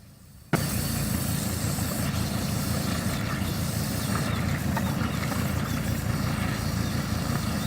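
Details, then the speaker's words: 1984 Mercedes W126 300 SD diesel, exhaust filled with water to clean out soot: loud rough idle with uneven wet burble, hiccuping and spitting at the tailpipe as water and soot blow out; running better afterward. "it's hiccuping and burping, and that's how you clean out the soot out of your exhaust."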